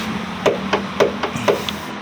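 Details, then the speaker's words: Old Honda CR-V Gen 1 tailgate hydraulic strut twisted left and right: sharp dull knocks about every quarter second; owner suspects it is just not tight enough, unconfirmed. "Ternyata hidrolik bagasi berbunyi juga ya. Ini enggak sih yang dua ini, ini juga bunyi sih. Kalau misalkan diputar kiri kanan jadi sumber bunyi juga."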